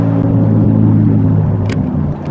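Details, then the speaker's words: GMC Envoy XL with 4.2 engine (MIL on, hard to start when hot, suspected fuel delivery issue) on test drive: steady low hum and rumble under way, drone of badly worn wheel bearings. Cause suspected, not confirmed. "Wow, these wheel bearings are really bad. I would have to say probably 80% of the cars that we drive or take on test drives have bad wheel bearings."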